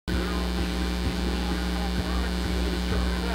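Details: Constant low 60 Hz mains hum under the audio of a Prosonic PQR 9962 vs Unitech CX 1430 boombox comparison, induced by powering the camera from its AC adapter while recording; a ground-loop hum, not from the boomboxes.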